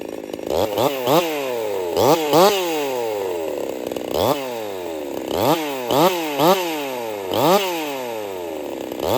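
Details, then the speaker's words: Jonsered 2149 50cc racing chainsaw build, factory air intake, warmed up and restarted for first cuts: revs ragged and popping, won't clean up, almost like four-stroking but different; builder fairly certain the ignition coil is failing. "It's got some coil issues. It won't clean up. She's got a pop to it, just almost like your four-stroking or whatever, but different."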